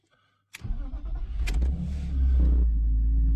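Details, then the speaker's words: BMW M52 cold start next morning after sitting a day, new ball-type oil filter housing check valve fitted: brief crank, catches within a second into steady cold idle, no knocking or ticking; oil light off almost immediately; normal cold start. "Okay, that was actually good. Went off almost immediately with the battery light, so I would call that a good fix with the new ball check valve, the more expensive version."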